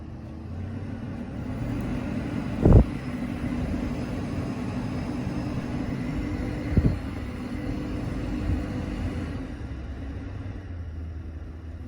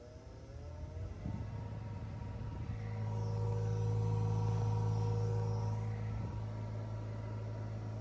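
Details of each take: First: 2012 Dodge Grand Caravan front interior blower motor after replacing the noisy old one: low, even fan hum with no squeal, rattle or ticking, just a couple of stray bumps; a lot quieter, running smooth. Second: 2012 Dodge Grand Caravan front interior blower motor, below passenger glove box: steady hum with whirring tone swelling as the fan speeds up, louder than a healthy blower; noisy blower motor, being replaced.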